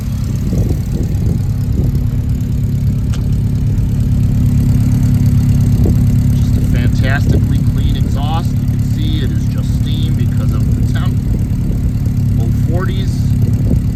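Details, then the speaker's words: 1967 Alfa Romeo Giulia 1300 TI still warming up after cold start, held just above 1000 rpm on hand throttle, heard from outside at exhaust with single center muffler: deep even burble, no misses, ticks or knocks. Normal idle. "she's still warming up great little Rumble 1300s just do not get the fair shap that they deserve for everything that they are"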